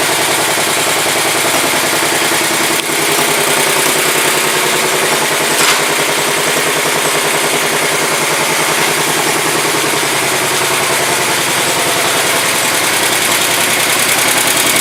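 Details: 1967 Sears Suburban 10 tractor, small single-cylinder, idling on its first start after repairs: a quick, fairly steady beat of about three and a half per second, running evenly; low battery voltage is later traced to how it is used.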